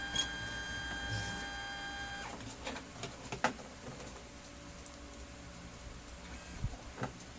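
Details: Brother DCP-T420W printer during paper feed: irregular clicks and scraping knocks instead of smooth motor hum; broken gear in the paper pickup, later fixed.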